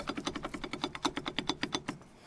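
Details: Nissan Patrol Y60 GQ brake pads rattling in calipers without anti-noise shims, on off-road tracks or road bumps at any speed until slowed to 20 km/h; sharp metallic clacks about eight per second; causes steering shake and erratic braking, original anti-noise shims being fitted.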